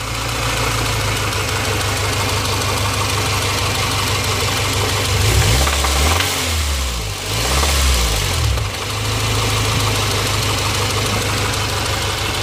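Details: Honda Civic B16A2 engine that suddenly developed a knock: rapid knocking under the engine, quiet at idle and louder around 3,000+ rpm as revs rise and fall; crank rod bearing knock suspected.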